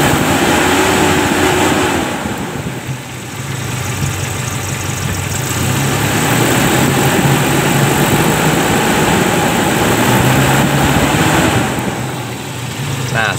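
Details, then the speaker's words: Toyota Kijang after emission-control module repair, test lamp connected to the solenoid circuit: smooth, even idle with the lamp on, climbing cleanly when revved and settling back without misses or knocks; at high revs the lamp goes out, so the solenoid works. Normal idle and revving. "Nah jadi ini mobil sudah hidup ya saat stasioner lampu menyala seperti ini kita akan coba gas"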